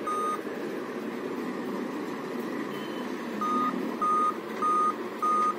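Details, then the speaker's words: Dell Inspiron laptop on charger at power-on: string of evenly spaced short high beeps repeating continuously, five-beep code; suspected CMOS battery failure, beeping to be checked after replacement. "इसमें problem आता है जैसे mains हम लोग charger लगाएंगे, on करेंगे तो 5 beeping का मैसेज आता है, ठीक है ना। कंटिन्यू 5 बीपिंग साउंड आते रहता है, ठीक है।"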